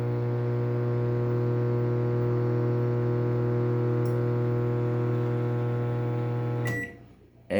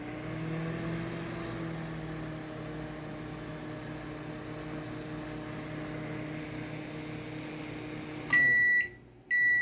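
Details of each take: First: Panasonic microwave, harsh loud steady buzz for about seven seconds, not heating, burning smell; faulty magnetron/shorted part suspected. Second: Panasonic microwave after replacing a faulty magnetron that caused an ugly noise and no heating: steady even low hum without rattling or buzzing, then stops and beeps; repaired, normal operation.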